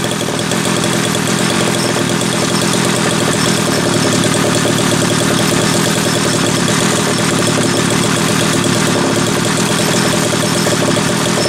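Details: Homelite 330 chainsaw test run after intake boot replacement, the only fault found: even, high buzzing two-stroke run holding steady without surging or dying; normal running.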